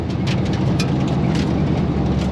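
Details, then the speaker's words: 1954 Belair with LS swap, intermittent misfire persisting despite swapped coils and injectors; codes P0200 injector circuit and P0308 cylinder 8: deep V8 idle with occasional stumbles; owner suspects spark plug or wire. "And it's intermittent. It's not consistent. It goes away. I've tried swapping coils, injectors. Nothing seems to change it."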